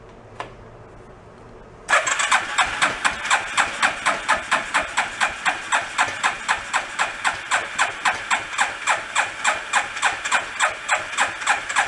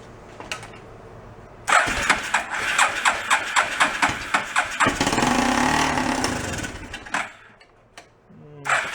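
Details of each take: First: Rat rod quad, long unused and historically hard to start cold, now with mechanical choke (off) and fuel pump priming: starter turns engine in fast even pulses about four per second for ten seconds without firing; cranking without starting. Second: Homebuilt rat rod quad about 7 years old, long unused and historically hard to start cold, started without choke: cranking pulses catch, runs rough a few seconds, fades, then fires again.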